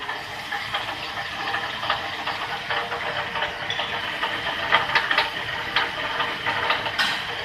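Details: 2002 Chevrolet Avalanche Z66 5.3L, knock first thought to be engine: irregular tinny rattles and clicks over hissy idle, worse on deceleration back to idle, from a broken-loose catalytic converter core underneath.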